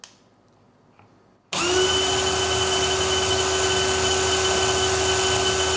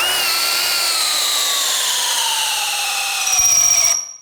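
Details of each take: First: DeWALT DCD999N cordless brushless hammer drill on a fully charged 1.7Ah PowerStack battery, speed 3, regular drill mode, no load, measured about 1977 rpm against the 2000 rpm spec: spins up to a steady even whine, then winds down cleanly. Normal no-load run. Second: DeWALT DCD999N cordless brushless hammer drill on a 5Ah battery, driving a 19 mm auger bit in speed/gear 3: the high motor whine drops in pitch as it bogs down, then cuts out. The drill stalls overloaded and needs gear 2.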